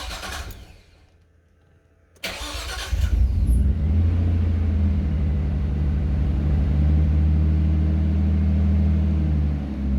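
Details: Nissan Skyline R33 after fitting a Walbro fuel pump and rewiring it with thicker wires through a relay, first startup after priming: cranks briefly, catches cleanly and settles into a steady, even idle; no leaks or smoke, running right.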